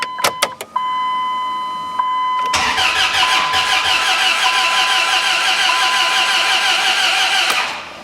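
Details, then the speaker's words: Dodge Ram 1500 with a replacement 4.7 HO V8 from a 2003/04 Jeep Grand Cherokee: a few beeps, then a slow starter whir for several seconds that never catches. Owner suspects a weak starter and battery. Cranks, no start. "now we got like no desire to start at all"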